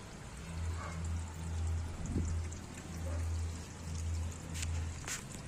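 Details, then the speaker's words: Standard single-tub washing machine after replacing the spring rubber drain valve to fix a leak underneath; water pours out in a steady, unbroken stream under a low hum. It drains fast with no leak and no blockage. "Yan, okay naman po, mabilis naman po yung niya, hindi naman po siya nag-i-stack up. Mabilis naman po yung pagkaubos ng tubig"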